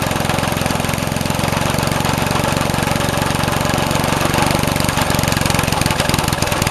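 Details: Vintage Craftsman 18" snowblower, rebuilt 3.5 hp Briggs single-cylinder, just cold-started with starting fluid: fast buzz with a ragged, uneven beat that won't settle; owner says the carb needs adjusting.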